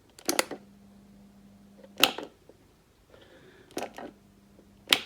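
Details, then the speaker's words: Single-phase 230 V three-wire AC motor driving a diesel/fuel-oil pump, unused about two years: switch clicks, then a steady low growling hum with no run-up, motor seized and stalling; must be switched off at once or it may burn out. "donc dès que vous entendez un moteur qui grognent comme ceci je voulais déjà dit dans une autre vidéo la vidéo apparaît là eh bien il faut absolument arrêter le moteur sinon vous risquez de le brûler"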